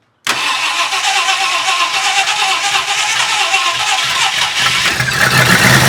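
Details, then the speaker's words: Stock 390 FE big-block V8 in a 1966 Ford Country Sedan after a performance cam install and used heads: fires straight up, then a sluggish, uneven idle lacking snap, smoothing once revved; ignition timing suspected lazy/retarded. "Kind of sounds like it could be a little lazy on the timing."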